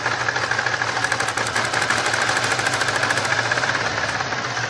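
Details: 1999 Grand Prix SC 3.8 V6 at idle: lumpy, uneven beat with irregular skips in the exhaust pulse. Engine misfire caused by a bad ignition coil (#1-4).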